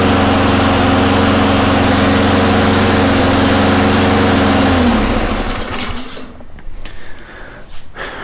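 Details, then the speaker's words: Honda mower after fixing surging with carburetor work (water or debris in the bowl suspected) and fitting a new gasket; it holds a steady, even drone with no hunting or surging before shutoff and wind-down. "yeah seems to be working pretty good now"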